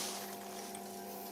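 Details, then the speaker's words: Daikin Altherma heat pump that trips its breaker after about 4 minutes, just restarted after bleeding air: steady, even hum with constant low tone, no knocks or rattles; circulator pump running normally. "la pompe qui soit en route. Ça c'est enclenché et on va attendre tout simplement que ça dijoncte."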